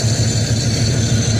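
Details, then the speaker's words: Box Chevy Caprice Brougham V8 with Edelbrock carburetor, after fixing crossed spark plug wires on cylinders 8 and 2 that caused exhaust popping and backfire; starts and runs perfect, deep even idle with no pops or misses. "So I tried it, started up, run perfect. So I'm happy with that. No more backfire, none of that."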